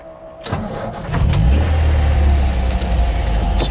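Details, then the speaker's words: 1967 MGB GT, engine rebuilt 2020, electric fuel pump, converted to 12 volt, cold start: brief crank, catches at once, settles into steady, even idle with low smooth beat; runs better warmed up. "right up like all english cars it runs better when it's warmed up"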